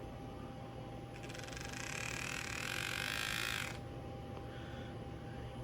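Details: Used N-scale Intermountain SD40-2 model locomotive on an AC-adapter-powered controller, moving forward, bought knowing it made a noise. Under power a harsh, gritty grinding rises over about three seconds then stops; drive grinding, cause unknown.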